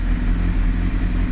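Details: 1998 Honda CBR600 carbureted engine at idle, carbs possibly out of sync: low burble with slightly uneven beat, mildly rough; owner suspects a lean condition, smoothing with a touch of choke.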